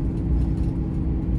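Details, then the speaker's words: 2007 Dodge Ram 3500 4x4 with the 6.7 Cummins diesel, 68k miles, driving downhill: a deep, steady engine rumble as the exhaust brake holds the truck back, working normally. "Hear the exhaust brake going to work."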